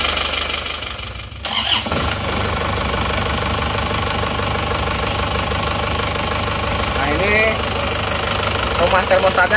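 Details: Isuzu Panther diesel, rebuilt with new liners and rings after smoking, fitted with counterfeit "made in Japan" pistons: cranks, catches and settles into a harsh, uneven idle clatter; genuine pistons later ran smooth.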